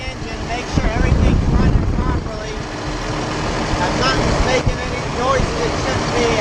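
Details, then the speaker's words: Motorhome coach diesel just started, heard from the rear engine area during pre-trip check, before high idle: rough-edged but even idle with some clatter and chirps, no distinct knock or squeal; everything running properly. "be, and everything's running properly."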